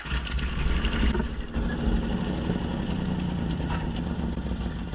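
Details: 1965 Jeep Wagoneer 3.8 L 230 cu in overhead-cam original engine, first start after 20 years sitting, with points gapped and valves set but needing one more adjustment. It catches and settles into a low, slightly uneven, rough idle.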